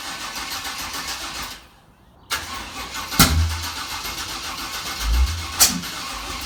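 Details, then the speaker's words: Dad's carbureted car: cranks and catches, then two sharp cracking bangs seconds apart; intake backfire while starting, loud as a gunshot; owner suspects timing 180 out, unconfirmed. "okay so so that last backfire that you heard in the car it was so hard it knocked over a stack of cans i had in my toolbox uh scared the crap out of my wife"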